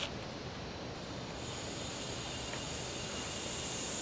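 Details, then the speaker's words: Auto AC leak test: a quiet, steady hiss as nitrogen flows in from zero up to 150 psi (never exceed 200). The hissing stops at 150 psi, then the gas is shut off to watch for a pressure drop; normal fill. "flowing in you can hear the hissing missing stops i've got 150 pounds right here"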